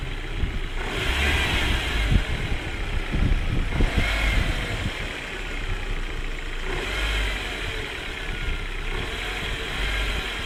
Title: 1.8T strange noises